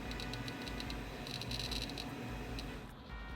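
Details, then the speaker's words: Computer hard drive clicking like a Geiger counter: quick, sharp clicks in uneven bursts, about six or seven a second, over a quiet fan hum; system recently fixed by swapping in a $15 eBay CPU. "I don't know if you're going to be able to hear this with the hard drive. It actually sounds like a Geiger counter."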